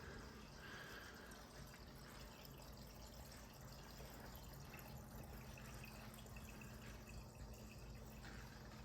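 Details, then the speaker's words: 180-gallon Planet Aquariums Mega Matrix with external BeanAnimal overflow, Gyre pumps off and only the return pump running: soft steady trickle and gurgle with low pump hum, no slurping; overflow level steady, noise acceptable. "I can live with this noise and I'm actually pretty happy with this the flow in the sump seems to be pretty good in the return I'm sorry the Overflow level stays very steady now"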